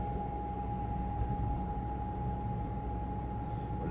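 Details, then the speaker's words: Car cruising on the road on the way to a workshop for timing belt and oil change: steady thin whine constantly above low road rumble; gearbox whine, owner suspects worn internal parts, cause not confirmed. "na pewno są zużyte elementy jakieś bo wyje"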